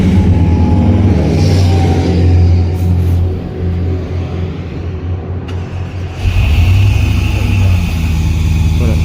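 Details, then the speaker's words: 2007 Dodge Ram 5.7 L V8 with P0300 and P0305 codes. It idles roughly with an uneven, stumbling low beat, and the scope lines up with the bad cylinder 5; a broken valve spring is suspected. "yeah you can see lines up perfectly with our bad cylinder when it's well so I'm going to shut this off"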